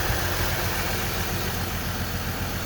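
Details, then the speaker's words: 2003 GMC Envoy with a random misfire; the check engine light flashed and it ran rough on the highway. Idle is lumpy and uneven with a low shake. Swapping coils moved the misfire, so it is a bad ignition coil, not a spark plug. "and since i switched the coils and the noise or the lack of firing chains with the coil i know it's a bad coil not a bad spark plug"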